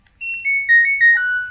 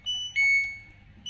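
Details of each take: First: LG Turbo Drum Smart Inverter washing machine, control module repaired (power indicator lit but it would not start; 16 MHz part replaced): board boots with its normal bright rising-and-falling startup chime played twice; error code shown because not connected to the tub. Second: LG Turbo Drum Smart Inverter washer that showed lights but wouldn't start, after its control module was repaired and run on the bench: repeating two-tone beeps with a PE error because the module isn't connected to the tub; expected to clear once assembled.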